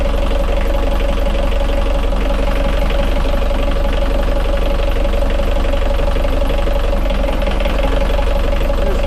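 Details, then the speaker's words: Yanmar 4JH5E 54 hp marine diesel at 2000-hour service, after injector pull and valve adjustment: idling while each high-pressure injector line is cracked to bleed air, that cylinder cuts out, tone changes and runs slightly rougher; cylinder cut-out from cracked injector line. "you'll hear the cylinder cut out i just want you to hear that change in in tone in the engine and it'll run a little bit rougher as that cylinder cuts out"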